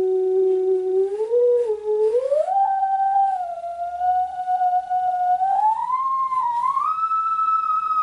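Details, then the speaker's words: Custom synthesizer player interface (STM32 Nucleo, PC sine generator): sine tone gliding about 3 octaves up the string warbles and drops in and out from intermittent contact. "okay, great theremin impersonations, but you can hear it's all breaking up and warbling, and that is that is what we're trying to get rid of."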